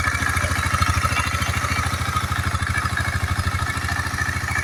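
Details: KTM Duke 250 single-cylinder idling after repair of a rough-running engine: steady idle with an even, regular beat and no knock or heavy clatter; running smoothly, normal idle.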